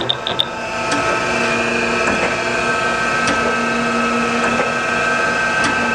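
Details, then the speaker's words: 2017 Chevalier FSG-3A1224 12x24 surface grinder with hydraulic table, 220/230 V 3-phase, running its automatic surface-grinding program with the saddle moving: steady high wheel hum with faint scattered ticks as the table sweeps; normal grinding cycle. "So it also has a surface grinding program, so we select surface grinding automatic, and this time when we start it up, we're going to have our saddle moving."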